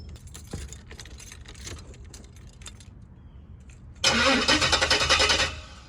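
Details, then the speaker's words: Box Chevrolet being converted to 4L60E transmission during harness swap: starter cranks briefly and never catches, no fuel pump whir heard; missing 15-amp fuel pump fuse, once fitted it runs but idles high. "Don't sound like the fuel connected. Hold on, don't sound like the fuel connected. I don't hear the pump coming on. It was missing a 15-amp fuse for the fuel pump."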